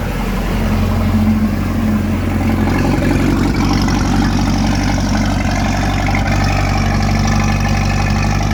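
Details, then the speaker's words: Repaired port engine of a one-of-a-kind speed boat (starter replaced, timing 8 degrees), just started with water on: loud, steady, even idle with smooth low beat, no grinding or misses; runs fine without raising RPM; normal idle. "It's okay, let it idle. Let it idle. It's good. It's good. No, it's running fine. You don't have to raise the RPM."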